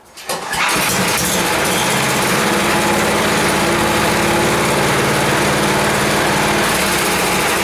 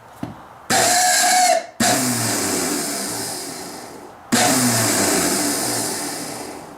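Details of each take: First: 10 HP Tecumseh Yard Machines snowblower, choke off, crud apparently cleared without teardown, started on key: steady even fast patter about nine seconds, then shuts off; runs pretty good. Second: Starter from 10 HP Tecumseh Yard Machines snowblower, long unused, bench-spun after spraying: short harsh whirring bursts with rough scraping and uneven spin-down; shaft quite rusty, possibly stuck, suspected binding, starter likely in trouble.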